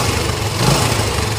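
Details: Yamaha LC135 after clutch housing and auto parts replaced; steady, even single-cylinder idle with low thump and no hum or rattle from clutch side; sounds healthy.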